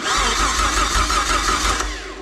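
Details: Jeep 4.0 Grand Cherokee ZJ engine built up as a 00-01 XJ engine, on first fire after a new valve cover gasket, water pump and exhaust. It cranks briefly, catches cleanly and runs smoothly and evenly, with no tapping or knocking. Normal start.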